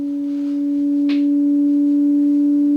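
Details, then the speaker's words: Moog MG-1 synthesizer sample and hold set to continuous: a steady pure tone slowly creeps upward in pitch instead of holding; oscillator pitch drift, a leaky op amp suspected but not confirmed. "You can probably hear that the pitch is slowly rising. [Music] [Laughter] So, that's not great. Um, that probably means that we have a uh leaky op amp here,"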